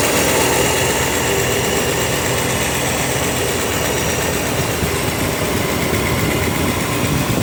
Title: Engine ticking coming from the driver's side...exhaust leak or worn lifter ? ... 305 SBC